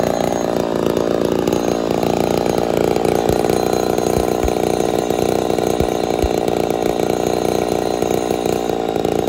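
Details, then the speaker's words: Ported Poulan 245A two-stroke chainsaw with bow bar on first start, not yet at full temperature or in wood: high, thin, steady screaming note with slight surging, starving a touch; a little lean at idle/low jet, needs carb tuning. "still need to do some tuning but uh she's a little lean you hear it starving just a touch"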